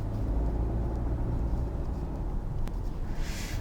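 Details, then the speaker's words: 2026 Hyundai Santa Fe Hybrid (1.6 gasoline turbo plus 47.7 kW motor) at low city speed as the engine cuts in: heavy, loud low groaning drone in the cabin. Driver suspects missing sound insulation or an assembly fault, unconfirmed. "しかし、私が乗っているサンタフェハイブリッドでは特にうなり声が大きくて、とても騒がしいです"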